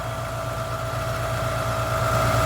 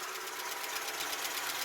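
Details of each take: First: Ford Capri XR2 (turbo) after head gasket repair: smooth, even idle with steady whine, no misfire, now running on all 4 cylinders instead of 3 and no longer shaking; timing and distributor still to check. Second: Ford Capri XR2 (turbo) after head gasket job, warming at idle: quick, light, even ticking (~8/s) from valve train; likely dry top end until oiled, owner not concerned.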